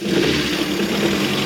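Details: 2013 Kawasaki STX-15F jet ski after fuel pump replacement, run briefly without water as exhaust heats: short rev burst rising and settling without misfire; it starts, so owner thinks the idle air control valve just needs to relearn.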